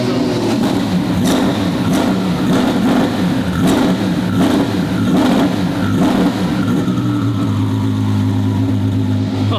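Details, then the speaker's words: Twin-turbo V12 Ferrari drift car on its shakedown, free revs with no load or boost, dump pipes closed: deep rumble rising and falling with a thin rising whistle of turbos spooling; sounds healthy. "it sounds so good with the spool [Laughter] w hear the turbos yeah let's hear him again"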